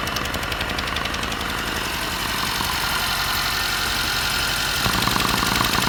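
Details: 2022 Mercedes Sprinter, M274 petrol engine, 237k km: uneven lumpy idle, nearly four beats a second, from a cylinder 3 misfire; that cylinder has good spark but low compression (90-120 cold, 60-90 warm vs 140-150 others).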